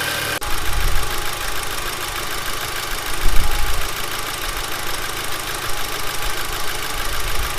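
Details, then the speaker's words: Audi TT Mk2 8J 2.0 TFSI, cold start just after installing a Neuspeed P-Flo aftermarket intake: steady, even low rumble with one brief blip, no knocks or misses and no dash warnings; clean cold idle before revving. "This is a cold start, by the way, that's why it's a little bit loud. Once it calms down, we're going to give it a couple of revs and we'll see what happens."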